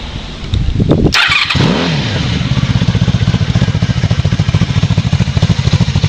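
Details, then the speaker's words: 1994 Honda Magna, cold start. It starts fine but revs low, settling into a slow, lazy idle with evenly spaced exhaust pulses below normal speed; the owner normally starts it with the choke. "So my bike does start off cold, or start up just fine cold, but it does rev a little low when I do so."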